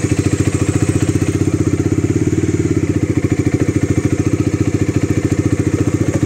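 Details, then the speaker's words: Bajaj Dominar 400 with a failing maintenance-free battery, started on a jump starter: quick, even exhaust thump-thump holding a steady rhythm with no misses or clatter, a clean healthy idle after the third try. "Третьего раза нормально работает."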